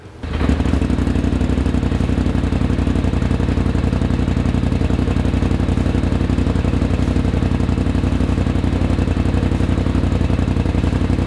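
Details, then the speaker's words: Polaris RZR just after installing an S&S PowerTune XTO muffler with the 1.5 dB reducers fitted: fires up instantly into a deep, even, rapid idle thrum with no misses or rattles; healthy exhaust note. "now we're going to fire it up so you can hear what the PowerTune XTO sounds like with the 1.5 dB reducers"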